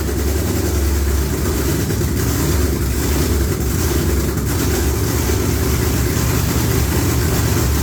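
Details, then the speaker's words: V8 with Holley electronics, just after an oil filter change: deep, lopey idle holding steady and strong with no tapping or misfire; normal, healthy idle. "yeah sounds good there it sounds damn good"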